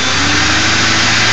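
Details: Ford 4.6 V8 idling with a steady, raspy buzz over the engine hum, from a failed anti-drainback valve in a Prime Guard oil filter; a second replacement filter gave the same noise, and the transmission front pump was also considered.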